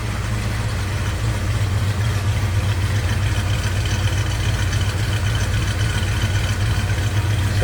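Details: 1969 Chevrolet C10 custom with a built V8 and Sniper fuel-injection readout, warm idle after startup: deep, even burble with a steady lope, no misses, ticks or knocks over the exhaust rumble; normal idle.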